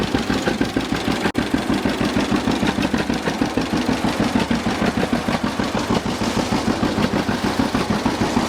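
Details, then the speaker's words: 1950 John Deere GW two-cylinder tractor, Baker valve, idle after starting, clutch engaged in neutral: slow even putt about three beats a second, no misses or knocks; healthy running. "this is good running old g let's check it out a little bit just listen to it and i'll show you around"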